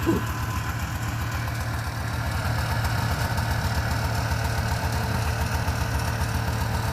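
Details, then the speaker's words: Subaru 360 van two-stroke warming up after its first start, smoking, with a gas leak. The idle is uneven and lumpy with a dull, lazy burble and poor response; ignition timing is about 10 degrees and needs about 15: retarded ignition timing. "the timing is way off way it's not very responsive it's maybe 10 degrees it needs to be up around 15."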